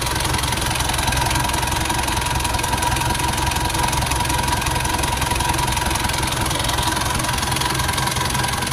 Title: rough idle sound